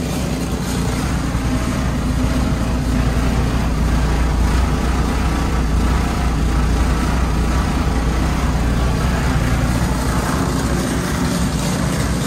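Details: Dodge Caliber SRT4 just after Precision 6266 turbo install with coated manifold and new gasket, first start, warming at idle: steady even low rumble, smooth idle beat, no ticking, hissing or knocking; runs fine, new tune still needed.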